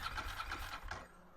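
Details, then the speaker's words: Ducati 916 Biposto being started after standing 15 years, with new belts. The starter cranks in an even chug of about six beats a second but it never fires. The fuel pump buzzed but didn't seem to be drawing fuel; cause suspected. "So I thought I'd try anyway. Kind of as I expected. Uh we had nothing."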